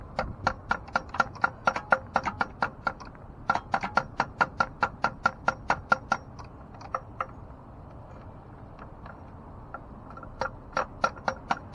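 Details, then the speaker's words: 2009 Ford Flex on a no-crank complaint, on a start attempt: sharp dry clicks about two to three a second in bursts with pauses and no cranking at all; "not even trying anymore." Cause not found. "Try. It's not even trying anymore."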